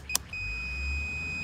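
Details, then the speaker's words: Compressor on an old HVAC unit, meter on continuity between compressor common and ground: solid unbroken high beep, zero ohms; winding dead shorted to the case, compressor ruined. "zero it's grounded that that is a dead short to ground yeah let's put it on continuity"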